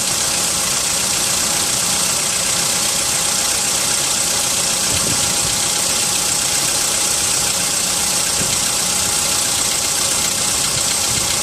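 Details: VW Polo sedan, 55,000 km mileage, cold start at +4°C: cold idle over a hissy background with light, irregular knocking that stays with the idle; engine knock on a cold start, cause not yet found.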